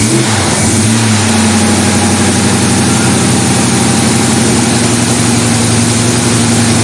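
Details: Hot-rodded 1933 Buick sedan street rod V8 after about five years in storage, carburetor refilled, 30 psi cranking pressure: catches and settles into steady deep rumble with a quick throttle blip; sounds healthy.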